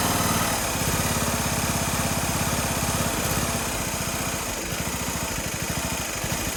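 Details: Toro Z420 TimeCutter zero-turn mower after motor swap, first start on the table with choke on and PTO disengaged: lumpy, uneven chugging at about three beats a second, loping idle never settles; running rough because the carburetor wasn't cleaned.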